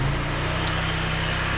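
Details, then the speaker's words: Honda Vario 125 with rough CVT klotok knock at falling rpm, after the washer was shimmed with an old part: small engine runs an even, steady pulse, no judder or clatter through the drive; CVT now smooth. "wisletnya itu saya ganjel pakai bekas sparepart kop itu tarikannya agak -agak enakan jadi agak semut nggak ada tidak terasa istilahnya itu semut lah tarikannya itu alam halus jadi nggak seperti sebelum diganjal"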